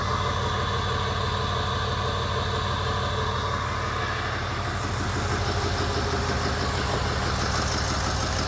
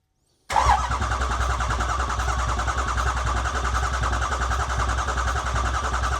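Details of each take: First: 2008 Ford E350 diesel van, first run after an engine rebuild, with no coolant or radiator: steady clatter at an even idle with a firm, regular beat and no knocks or misses. Normal idle; IPR is slightly high from air in the system. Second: 2008 Ford E350 diesel van, engine mostly rebuilt, first start attempt: after cycling glow plugs with fuel pump running, the starter cranks at a steady even beat for several seconds with no firing until the battery runs low; cranks but won't start.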